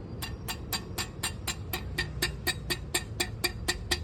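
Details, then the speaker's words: Honda PCX 160 scooter, engine running, center stand installed: sharp metallic ticks and rattle about twice per second; the dry, unlubricated stand pivot rattles metal on metal from engine vibration, and the noise stops when the pivot is removed. "Rinig nyo? Diba may na-vibrate, may nakalansing."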